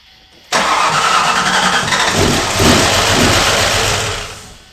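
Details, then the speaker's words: 1995 Ford Mustang SVT Cobra that was bought non-running, first start after repairs with suspected valve train or timing trouble: it catches abruptly and runs loud and uneven with a ragged beat, then dies back. Rough running, cause unconfirmed, timing to be bumped up. "I'll try to bump the timing up, it it definitely doesn't sound good."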